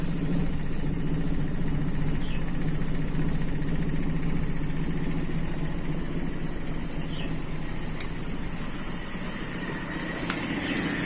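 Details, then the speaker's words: Carbureted Toyota Kijang Super, cold start after about 8 hours off, jets changed the night before, gas pedal pressed once: deep, very low but smooth idle pulsing and sagging; mixture too lean and valve clearances tight. "sangat rendah sekali maksudnya di bawah standar untuk untuk putaran idolnya tapi halus kita tunggu beberapa saat menurut saya inilah kondisi normal teman-teman jadi perlu diinjak pedal gas itu berarti campuran masih terlalu miskin"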